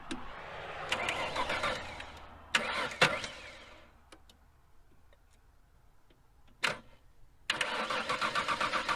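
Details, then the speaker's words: 1993 or 1994 Ford Aerostar 3.0 V6 after sitting 15 years, cranked to circulate oil; starter spins engine in bursts with an even cranking beat but it never catches. Crank no start, no fuel delivery assumed. "okay yeah I'm going to assume that there's no fuel which is honestly better in this scenario because we're just trying to get the oil work through"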